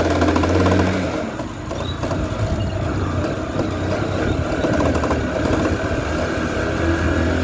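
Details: Honda Shine motorcycle on a test ride at speed: a steady engine drone with a loose, uneven clatter beneath it that becomes a "kata kata" knock when slowing, and the bike won't pull at low speed; worn chain and sprockets.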